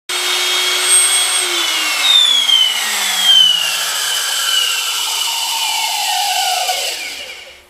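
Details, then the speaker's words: Old Makita 3600B router before bearing replacement: a piercing high squeal over the motor whine, its pitch sliding down as the router spins down; worn bearings. "this name screams ear piercing squealing bad burying squeal so in this video we are going to tackle that"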